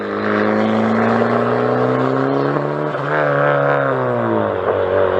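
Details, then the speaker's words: Turbocharged 4th-gen Honda Prelude build, heard from outside while accelerating: a strong tone climbing smoothly through the revs, clean and even with no misses or rattles. Normal acceleration. "Sounds fucking good. Dude, this is the first time I'm hearing this from the outside. Man, dude, that thing sounds good."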